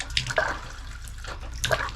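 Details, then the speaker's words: RV water system, hot shower running on the water pump: flow starts strong then turns to weak, uneven splutters and gurgles as pressure drops and air is drawn; pump builds but can't hold pressure; failing water pump. "and almost no water coming out now the water pump can obviously build pressure but it can't maintain that pressure"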